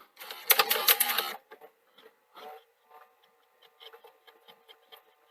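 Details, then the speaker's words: Sony SL-HF950 Super Betamax deck: irregular clicking, clattering and rubbing as the transport labours, take-up reel jittery and dropping; suspected reel table fault, upper drum also needing resurfacing. "Need to resurface this upper drum because that can cause this sort of labouring and slapping as well."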